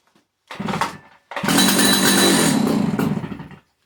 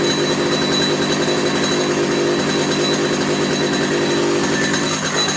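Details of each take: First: 50-year-old Stihl 056 AV chainsaw, unused for a while, runs about two seconds on brake cleaner sprayed into the air filter, revving raggedly then dying; tank fuel not reaching the carburetor. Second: 50-year-old Stihl 056 AV two-stroke chainsaw, 20-plus-inch bar, restored after long disuse, started with brake cleaner: steady buzz with several clean throttle swells, no cutting out, a little smoky; running fine, tune-up planned.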